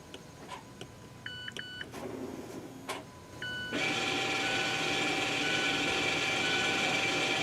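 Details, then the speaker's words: 2017 Mazda 3 electric parking brake put into service mode before rear brake pad replacement: a few chimes, then a steady high electric whir of rear caliper motors retracting normally. "you should hear the motor turning right now there's the end of it so now they are retracted"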